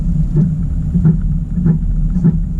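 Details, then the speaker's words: 2018 Camaro SS 1LE on base-model 18 in wheels, tight full-lock turns in a cul-de-sac: rhythmic scuffing rub about every 0.65 s over low road rumble; wheel rubbing on the brake cooling duct. "all right we're back in the garage now we're gonna take the wheel off and see what is making that horrible sound"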